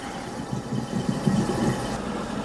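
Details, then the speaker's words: Garbage disposal after being unjammed with a 1/4" Allen wrench from below: steady even motor hum with running water, no grinding; spinning freely and working normally. "Okay, so let's turn on our garbage disposal. Okay, you can hear it spinning."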